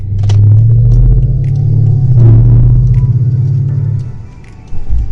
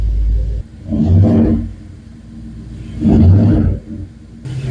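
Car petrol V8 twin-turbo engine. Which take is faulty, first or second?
first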